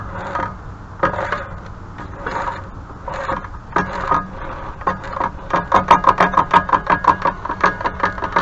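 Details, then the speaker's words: Supposedly new but used motor, owner hears brushes grinding; rough scraping bursts speeding into uneven pulses about three a second, motor grinding and lagging, something broken. "yeah there's a lag here there's definitely something going on something's broke"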